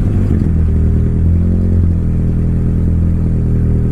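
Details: Mitsubishi Lancer CK4 with damaged airflow sensor, restarted with throttle help after stalling and throttle being eased off: low, rough, wavering running that never settles, about to stall; engine dies again.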